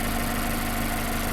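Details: 2016 Mazda MX-5 (ND) with 35,700 miles, a Copart salvage rebuild with blown airbags but a clean engine bay: a short stretch of quiet, even petrol idle with a steady hum and no ticks or knocks. It sounds healthy.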